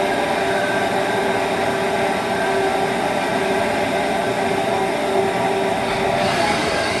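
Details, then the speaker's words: Haas ST-20 lathe spindle running: loud steady whirring with a faint constant high tone, getting louder over time, with inconsistent part-off finishes; owner suspects spindle bearings going bad. "okay this is our st 20 machine and i believe we got spindle bearings getting ready to go bad but i want you all to listen to this and just let me know what you think i noticed it's been getting louder"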